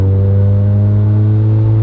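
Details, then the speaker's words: Mazda RX-7 after an exhaust leak fix (cat cut out, pipe welded from header to the cat outlet): smooth, steady, quiet exhaust note with no puffing or ticking, now sealed; normal exhaust. "it's like so freaking quiet and it's so freakin awesome this is easily the quietest car owned now"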